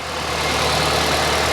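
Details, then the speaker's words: Flood-damaged Kia Ceed GT-Line after repair, first start with no warning lights: steady even quiet idle with smooth low hum and no knocks, misses or ticks; running really well. "there's not even a warning light on and she's running it's running really well actually sounds good oh she sounds really"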